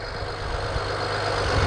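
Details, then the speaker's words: BMW E90 335i just after cold start at idle: steady idle with faint high squeak on top; likely a worn accessory belt pulley needing replacement. "I hear a little bit of a squeaking that might indicate that one of the pulleys might need to be changed. In fact, I'm almost certain that's probably what that is."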